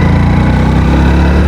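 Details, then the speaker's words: Bike (Splendor-type motorcycle) downshifted to second gear, clutch released and sudden throttle applied; strong, even engine pull with steady deep exhaust note climbing cleanly as the bike picks up speed properly — normal acceleration. "अच्छे से bike ने speed को पकड़ लिया।"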